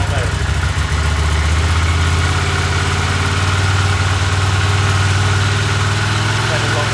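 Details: 1982 Honda CX500, long neglected, after cleaning tank, petcock, carbs, jets, replacing plugs and caps: low twin idle with wavering throb that never settles; unstable idle, no change, cause unfound.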